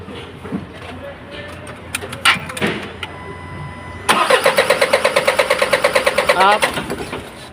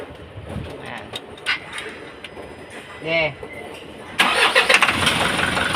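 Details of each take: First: Isuzu 4HL1 diesel, hard starting, only cranks: cranks a while, catches briefly on starting spray with rapid uneven puffs, shakes and dies; injectors suspected worn, to be checked. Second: Isuzu 4HL1 diesel, final start after a cranks-but-won't-start fix and refitting accessories: it catches after about four seconds and settles into a steady, even run with no stumbling, no longer rough as before.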